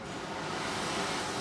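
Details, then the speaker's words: Victor-style oxy-acetylene cutting torch with acetylene set too high: a loud, rushing roar as the flame jumps back off the tip. The fix is to turn the acetylene down until the flame touches the tip again and quiets. "That's obviously too much. We want to be about halfway in there. So as you can tell, when this flame jumps back from the tip, we want to turn it down till it does, till it touches that tip again."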